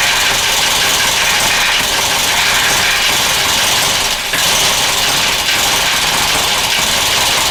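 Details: Newly purchased 1996 Geo Metro idling with a hissy, clattery note and an uneven, lumpy beat that never settles to a clean idle; rough running, cause unknown.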